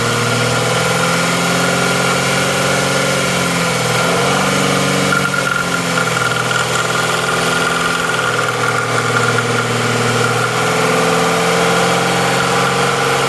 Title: Mazda cx9 2013 popping or clicking noise from intake manifold